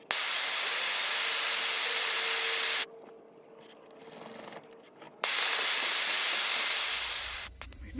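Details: 1948 Major 236 lantern, bought disassembled: loud steady hiss that stops then returns as pressure bleeds back out the pump check valve when the thumb leaves the pump; check valve stuck open, mantle already blown.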